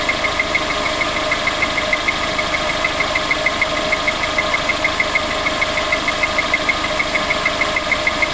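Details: VX19 engine right after start-up: a light, sharp, steady tick about twice a second over the idle, an even top-end tapping noise.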